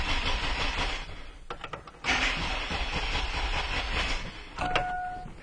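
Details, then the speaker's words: 2002 GMC Jimmy with an intermittent no-start, battery recharged: the starter cranks in even bursts with strong, even-sounding compression but the engine never catches. No spark is traced to an open crank sensor reference wire. "well as you can see I was unable to reproduce the running of the engine in any way so that means I'm going to have to go ahead and treat this with what I have presented in front of me"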